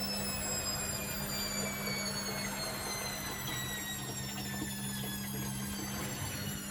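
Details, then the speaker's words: Candy Grand O Vita GV139D3 9 kg washer on a 14-minute rapid test wash, struggling to balance with about 3 minutes left: the motor whine winds down in pitch as the drum abandons its spin attempt and drops back to slow tumbling, an aborted spin. "So even that one little blast has let a lot more water out. It's filling up that bowl. But it hasn't done a proper spin yet, and it's still on 3 minutes."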